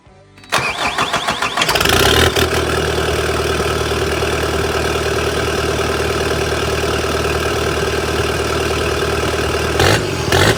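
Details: Kubota SVL 75-2 diesel, tuned, DPF/EGR delete, first start after fitting bigger SVL 97-2 turbo, exhaust not finished: quick crank, clean catch, steady even idle, no rattles or turbo scream, no oil leaks; healthy.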